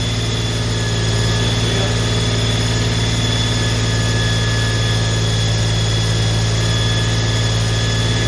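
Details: Holden HQ 308 V8, first start after full rebuild to stock spec, re-sleeved standard bores, Crow Cams 5651 cam (282 duration, LSA 114), remanufactured Quadrajet carb; steady deep even rumble, regular beat, no knocks or misses: normal running.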